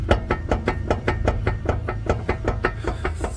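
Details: Car on jack stands, wheel rocked in and out by hand; sharp evenly spaced clunks two or three a second from a worn ball joint with a lot of play.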